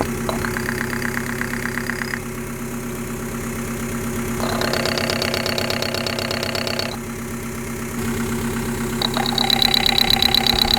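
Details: 1.9L TDI diesel at idle with fuel problem: hard regular clatter about three per second over the engine plus intermittent high-pitched rattle; injector knock, injectors found less than perfect, suspected bad injectors.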